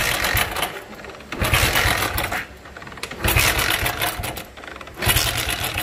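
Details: Hero motorcycle at 15,000 km that stopped on the road: each kick, about every 1.3 seconds, gives a harsh, strange rattling clatter with no firing. Internal engine damage suspected; engine won't start.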